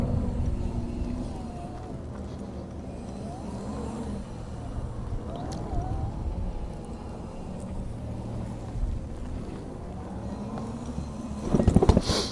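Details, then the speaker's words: Jazzy 1450 heavy-duty power wheelchair, about 24 hours use, 600 lb capacity, rolling across the yard: low soft hum with slight pitch changes from both HD drive motors, geared for power not speed; normal. "you will hear this motor when you're driving you'll hear a humming that's what you want to hear these are HD Motors you'll hear both of them humming a little bit that's cuz they're they're gear for power they're not gear for Speed"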